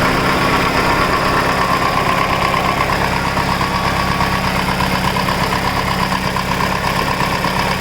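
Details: Mitsubishi Evo 8 after full head rebuild (new GSC zero-tick lifters, springs, retainers, valves, cut seats, seals, resurfaced head; Mobil 1 15W-50, WIX filter) idling with light steady tick about three a second; lifter tick suspected, not confirmed.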